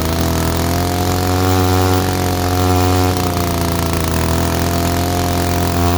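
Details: 1947 Mall six-foot two-stroke chainsaw found in a barn, first run in over 40 years: steady, even two-stroke buzz holding a constant low pitch without stumbling; runs and idles cleanly.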